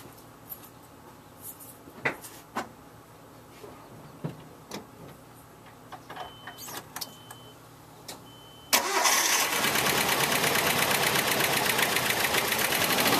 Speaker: all right so you can hear how rough that sounded um and it'll hold idle just really bad